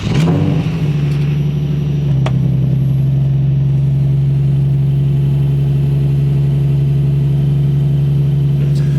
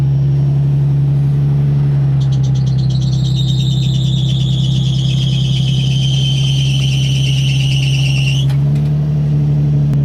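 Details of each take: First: 2004 Nissan 350Z cold start at 36°F after tightening the belt tensioners: engine settles to a steady even idle with no belt squeal; squeal had come from loose, recently replaced belts in cold weather. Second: 2004 Nissan 350Z idling at startup on a not very cold day; high chirping squeal for several seconds then stops; new belts had loosened as tensioners aren't self-adjusting, fixed by tightening tensioners; worse and longer when cold.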